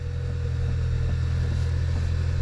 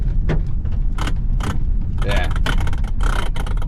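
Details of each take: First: Kia Optima after replacing power steering coupler bushing (Dorman 926-990), engine started for test; steady low engine hum, no knocks or clunks, steering clunk gone. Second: Kia Optima driven over bumps: sharp clacks in irregular bursts over a low driving rumble, felt in the steering wheel, from a worn steering coupler bushing; fix is a new Dorman bushing.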